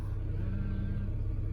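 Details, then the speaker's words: Ford Territory crank-no-start after a collision, started right after resetting the tripped inertia fuel cut-off switch: steady, deep, even rumble with no misses, knocks or ticks; normal idle. "there you go look at that works like a bought one"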